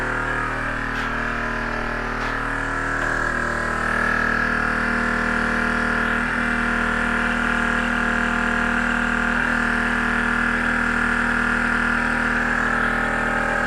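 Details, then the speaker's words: ARB air compressor for the front locker in a 1989 GQ Patrol short wheelbase (TB42, carburetted) after a pressure switch repair: steady hum, keeps pumping without switching off, constant airy hiss; air escaping somewhere, cause unconfirmed. "I can hear air."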